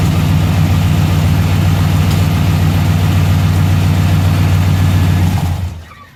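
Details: 1990 Chevrolet K1500 truck, 5.7L 350 V8, automatic: deep V8 idle with a regular puffing tick about three to four a second over the rumble before shutdown; exhaust leak.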